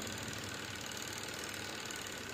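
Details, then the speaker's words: Spin dryer that would not run: with the lid switch held closed, the spin motor runs with a steady, even hum and a light rapid flutter, and it stops when the switch is released. "Ayan switch on ko ito. Tingnan ninyo. Iikot yan."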